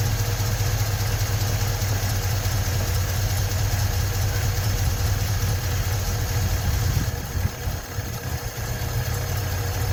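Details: 1956 Ford truck, 45,000 original miles, first run after 40+ years sitting with new starter: steady even low idle, no knocks or misses, slight wobble near end; normal idle, battery light on.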